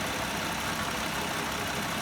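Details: BMW 535i after water pump replacement and coolant refill, idling after about five minutes of running and bleeding air: soft even idle under engine-bay hiss, no knocking or misfire; engine idling normally.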